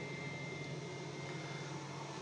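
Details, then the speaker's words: 12-220 V pure-sine inverter, 1600 W (800 W), on a 60 Ah battery powering a gas boiler and pumps (about 200 W total), output 224 V: steady loud hum with thin high whine; inverter humming hard under load. "інвертор дуже гудить дуже Прям такий шумний шумний"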